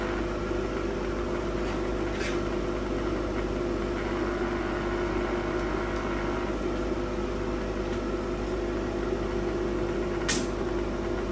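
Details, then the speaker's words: AC variable inductor coil in line with a lamp, laminated iron inserted into the core: steady even mains-hum buzz, no pitch change, loosely fitting laminated core vibrating in the changing magnetic field; normal transformer buzz. "you could probably hear the buzzing that's why we call it a buzz bux and the reason why it's buzzing is as we're changing using those magnetic fields you could see that uh laminate coil was not fitting in perfect it vibrates in there"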